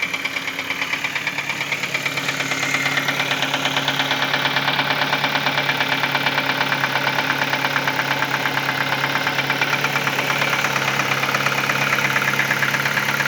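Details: 2010 Ford Focus at idle: steady hum with a regular light tick about two per second riding over it; owner reports an engine sound problem, abnormal noise at idle.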